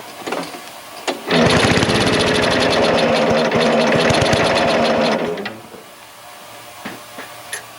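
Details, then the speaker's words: Snow blower runs with a fast chattering rattle over the exhaust beat; belt noise from misadjusted drive belts, one possibly off. "you wonder what that weird noise is these belts clearly need to be adjusted one of them might even be uh off we'll deal with that later"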